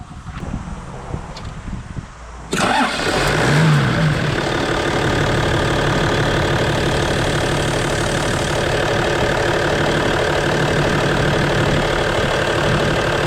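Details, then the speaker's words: 1992 Toyota Land Cruiser 80 series, cam belt replaced, A/C compressor bearing seized and not hooked up: quiet cranking, then the engine catches cleanly and settles into a smooth, even idle with no misses or knocks, no blowback or fumes; normal start and idle. "No blowback, there shouldn't be. No fumes out of there."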